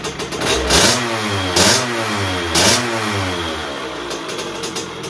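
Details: 2001 KTM 50SX two-stroke after carb upgrade, cold and not yet warmed up: blipped about once a second, burbling and spitting between blips instead of cleaning out; pilot circuit set about one and a half turns; jetting too rich.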